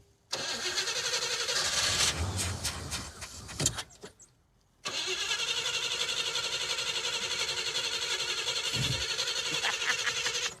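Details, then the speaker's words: Engine cranks steadily, about four turns a second, but never catches. Cranks without starting, with no fuel delivery. Fuel comes from a 5-gallon can with the choke held open; the small electric fuel pump won't lift fuel, so the hose is to be primed. "What we're going to try and do is prime the hose because the little electric fuel pump won't lift."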